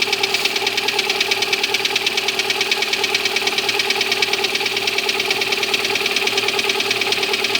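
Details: Lada Granta cold idle: crisp, even metallic tapping about twice a second over the engine; cold-start knock, cause unknown, owner asks why.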